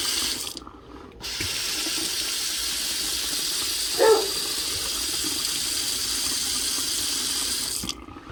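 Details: Rattling water pipe after shutting off the supply and bleeding air from the line: smooth, continuous hiss of running water with no knocking or surging; line now flows steadily, though some air may remain.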